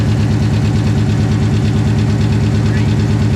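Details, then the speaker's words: 900 hp Coyote-swapped, Whipple-supercharged Fox body notchback on E85, cold start: the idle carries a steady knock just under two per second, louder from underneath. Cause uncertain at the time; finding: loose torque converter bolts. "Alright, so these here, we've got a little bit of noise. I think you can hear it worse from the bottom."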